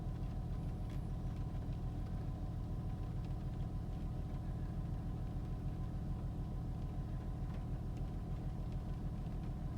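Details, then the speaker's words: 2004 Honda Pilot after replacing the Bank 1 Sensor 1 oxygen sensor (code P0132) for misfires and rough idle, codes cleared: deep even idle rumble, steady pulse, no stumbles or misses; normal idle. "Okay, I think it's idling better now. No rough idle."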